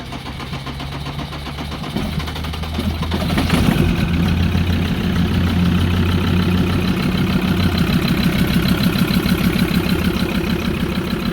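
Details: Ford Ranger diesel with crank-no-start; small amount of petrol poured into air filter as starting aid: slow cranking about two seconds, then catches and settles into steady diesel idle; suspected failing injectors; hard starting diesel.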